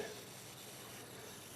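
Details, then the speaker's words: Kubota L3301 HST diesel tractor tire, faint steady hiss of air escaping through a hole in the middle of the metal rim, not the bead; tire air leak, fixed by welding the rim. "now this got me confused though because that's coming out on the middle part of the rim you can hear it"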